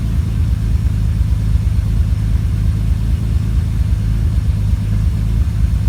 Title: Idle misfire